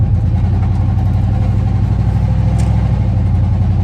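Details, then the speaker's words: Van on a chilly morning after the exhaust pipe fell off: a loud, deep, blatty rumble at idle, far louder than normal, like a badly done hot rod exhaust. Exhaust leak from the detached pipe. "I'm just putting it in my mind that it sounds like a horribly done exhaust on a hot rod."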